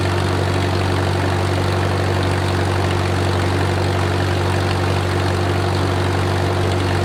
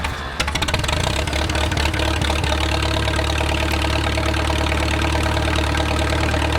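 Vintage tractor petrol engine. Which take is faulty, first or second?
second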